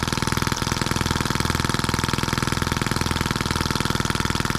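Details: New scale model Atkinson-cycle engine (M14/EM1) out of the box, oiled and fueled, after a little carburetor adjustment: quick, even firing beat with steady pulses, no misses or surging; runs cleanly and smoothly.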